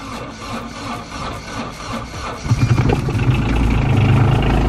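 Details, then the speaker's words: Caterpillar mini excavator diesel in winter, started after glow plug cycle: brief crank, catches and settles into a deep, steady even idle with a little black smoke at start; normal cold start. "turn the key on glow plug light is on just one off we'll let it go on again there it is and here we go"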